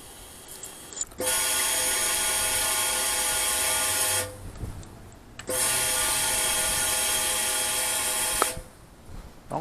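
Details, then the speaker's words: 2008 Yamaha WR250R after replacing fuel pump with Highflow Fuel HFP-390: at key-on two high steady whirring runs of about three seconds each then silence, showing the pump works; normal fuel pump priming. "un bon indicateur de savoir savoir si votre pompe est encore bonne ou pas c'est que chaque fois qu'on met la clé à on on entend la"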